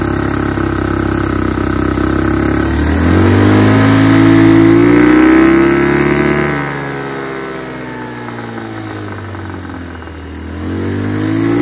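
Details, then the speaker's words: Chinese GY6 150cc scooter with new carburetor, air box removed, started on starting fluid: revs climb and sag unevenly, stumbling toward stalling; bogs on acceleration but runs fine once wheel spins fast, stalls unless intake partly covered. "doesn't run right bogs down on acceleration but once you get to the point where the momentum of the wheel is spinning fast it does run fine"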